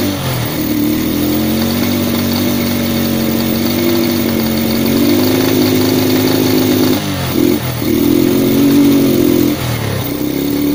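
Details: Yamaha Vega R fitted with a Vega ZR CDI, wired to the white wire from the spool: small single starts and idles steadily, then revs up and down cleanly several times without misfire or stumble.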